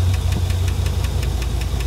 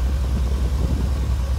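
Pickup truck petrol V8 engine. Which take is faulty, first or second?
first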